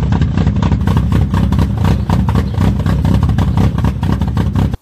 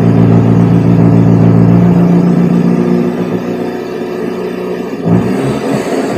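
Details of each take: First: A carburetted Fiat Brio revs in ragged, uneven bursts with a lumpy, stumbling exhaust beat, misfiring on three cylinders; the cause was a clogged carburetor air jet giving an over-rich mixture. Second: A Fiat Brio revs up then settles into a steady, even idle with no misfire, maybe slightly rich; the owner says it improved and is idling well.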